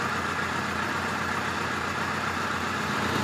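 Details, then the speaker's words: '86 Voyager XII 1200 idling cold on a chilly day after mixture screw adjustment: steady, even idle with a smooth exhaust note and no misses or knocks. Carbs sound balanced and it runs well. "All right. We finally got a really good runner right now."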